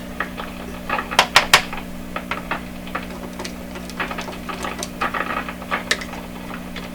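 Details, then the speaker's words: 1929 Victor RE-45 radio after some capacitors were replaced, now silent apart from intermittent popping: irregular sharp pops and crackles over a low steady hum during signal tracing; a tube is later suspected as the crackler. "Okay, so I left the room. When I came back, crackle. What to do? What to do? She's a crackling."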